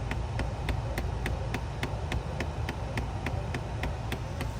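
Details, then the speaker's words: 2016 Kia Sportage, engine idling, recirculation button pressed: sharp, even clicks about three per second from the blend door actuator under the dash near the glove box; stripped plastic gear teeth skipping. "are those plastic teeth not catching."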